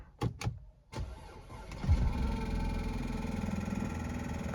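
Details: Audi A5 2.0 TFSI S-Line convertible on a cold start after sitting with a dead battery: cranking, then a rough, busy idle with a rattling clatter underneath. Owner says the clutch makes most of the noise; friends suspect knocking.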